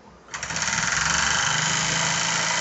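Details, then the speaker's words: HHO brass engine cranked by an attached small starter motor: fast, even rattling crank with no firing; ignition sparks when static but not while cranking, the transformer doesn't have time to power up. "you see now no spark the Transformer doesn't have time to power up"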